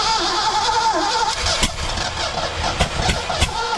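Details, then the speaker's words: 1982 McLaren Mustang (Fox body), left sitting about 30 years, with a replacement factory coil: cranking with uneven pops and brief sputters that nearly catch, then die out. Insufficient ignition timing is suspected, and the valves are not stuck. "it's like it doesn't have enough timing so that's way too much back it up"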